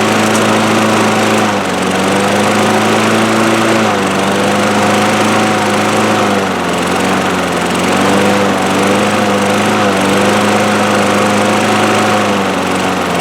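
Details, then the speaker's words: 2003 Craftsman 6.25 mower single-cylinder after draining much water from the fuel system/carburetor: runs steadily at fairly high even pitch, slight governor hunting, no sputter; running good, bowl not leaking, needs oil change. "here we go it's working running good definitely needs an oil change bowls not leaking"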